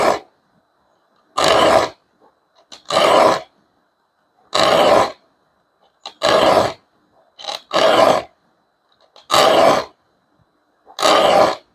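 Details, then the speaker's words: Harsh, grating screech while filing the teeth of a Japanese rip saw (Gyokucho 340) that are set toward the filer; filing only the teeth set away from the body is less grating. "아, 내 몸 쪽으로 지금 돼 있는 걸 연마니까 방금 전에 이렇게 날카로운 소리가 나요.이 소리가 귀에 거슬리잖아요. 지금도 귀에 거슬리잖아요."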